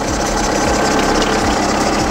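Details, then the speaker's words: VW Polo 9N3 petrol engine after starting: warm, steady idle with even hum, no misfires and no typical ticking, running well; only ABS warning light is a problem. "von ersten Geräuschen her würde ich sagen läuft ganz gut"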